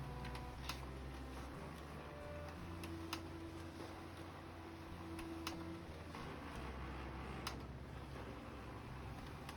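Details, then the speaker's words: HP LaserJet Pro M202dw that knocked at power-on, tested after repair while printing. Quiet, smooth hum with light paper-feed ticks and no knocking, so the printer now runs properly. "तो यह देखो अच्छे से work कर रहा है। तो कोई खटखट की आवाज नहीं आ रही है।"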